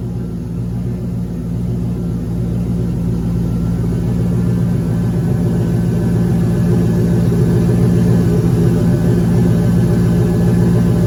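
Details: Turbo 5.3 LS in a Caravan, oil pressure gauge hooked directly to the block: deep steady drone with a regular knock three or four times a second; noise began under boost, owner suspects rod or main bearing rather than a broken ring land.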